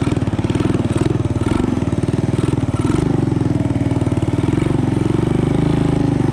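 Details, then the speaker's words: Honda ATC 200ES single-cylinder, long unused and previously non-running, just fitted with an aftermarket Chinese carburetor: quick, steady thumping with no throttle input; idle set too high and needs turning down, air-fuel mixture may need adjusting. "And this, I just have the dial the idle back a little bit, and I might adjust the air fuel ratio just to get that carb dialed in a little bit better."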